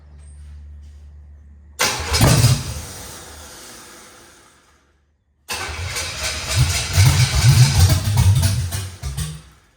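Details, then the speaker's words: Camaro Z28 with Blueprint 350 V8, first start after gas tank install and new plug wires: cranks, catches briefly and dies, then restarts and revs rough but firing on all cylinders; timing dead on, runs well. "That's awesome, man. This thing runs, it sounds good, although it didn't come with its issues."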